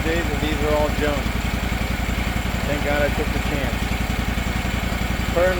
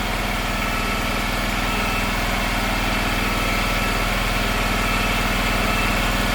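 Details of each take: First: Gravely 260Z zero-turn mower (about 2006) with a Kawasaki FD750D twin, after a carburetor swap and relocking a loose idle screw: even, steady idle thump with no surging or hunting, not yet fully warmed up. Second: Gravely 260Z zero-turn (about 2006) with Kawasaki V-twin after carburetor replacement: steady fast even idle, too high because the unlocked idle screw had vibrated in; being turned down and locked.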